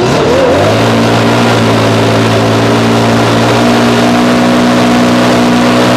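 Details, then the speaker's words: 2021 backpack blower, stored 5 months since fall on ethanol-free fuel without stabilizer, about 30°F, choke and primer, fired in 2–3 pulls: catches within a second and settles into a steady, clean buzz without dips; normal running. "all right running pretty solid that's good so recap ran solid only about two to three pulls and it fired right up"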